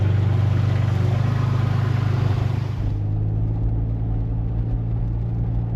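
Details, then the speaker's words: 2002 Nissan Xterra 4x4 back on the road after a stalling problem and months parked; deep, even rumble settling smoothly as revs drop while driving, no knocks or misses, coolant temperature holding normal; healthy. "Truck's driving and running good. Coolant temp is holding where it should."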